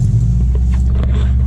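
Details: 2006 Subaru Forester just after thermostat replacement, restarted still warm after about two hours off: steady deep even rumble at idle, no knocks, misses or hunting; normal idle.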